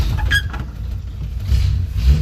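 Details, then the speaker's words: 1960 DKW three-cylinder two-stroke engine started with 6-volt booster after head gasket glued and head torqued: catches quickly into deep even smooth idle, no knock or misfire; owner happy, slight smoke. "Oh, yes. Sounds pretty smooth. Ah, that's nice. Yeah, I'm happy with that."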